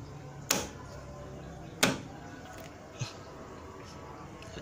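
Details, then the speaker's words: Car door latch being worked: a few sharp, dry metallic clicks about a second apart from the dry lock mechanism, which needs grease packed inside to soften the door-closing sound; dry door latch clicking. "Hai coba perhatikan yang dengarkan itu yang menimbulkan bunyi ketek ketek ketek"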